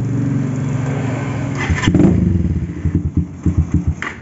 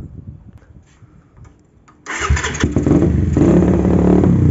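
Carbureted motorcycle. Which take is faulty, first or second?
second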